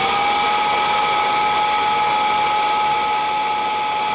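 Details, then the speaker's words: Kirby Classic III vacuum running with the belt wound on for the brush roll: steady high-pitched motor whine with even airflow rush, no wobble or rubbing; normal running. "So now we'll just wind the belt on and we'll run it with the belt on. And this is belt on."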